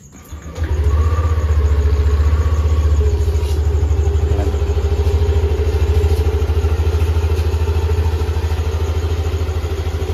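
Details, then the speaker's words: All-stock Yamaha Aerox scooter, well maintained, at idle after fresh ZIC M9 4AT 10W-40 fully synthetic oil and gear oil change: steady, even low putter with no knocks, settling smoothly; engine quiet and healthy. "tahimik ng makina natin. Pero tahimik naman talaga yung makina nito kasi alagaan natin to."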